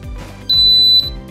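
One shrill half-second beep over quiet background music: the fireplace's built-in control beep, not a fault.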